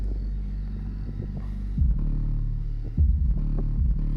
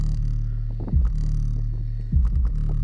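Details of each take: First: Car trunk enclosure, two Power Acoustik GW124 subs with four Earthquake SLAPS M12 passive radiators: deep bass drone with buzzy rattling bursts when one radiator moves freely, silent when held; weight on back possibly loose or cracked, unconfirmed. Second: Deep, even bass with no rattle while a loose passive radiator is held by hand: sealed 3 cu ft box, two Power Acoustik GW124 12-inch subs, four Earthquake Slaps M12 passive radiators, trunk of 2018 Chevy Impala; owner suspects its rear weight is loose or cracked.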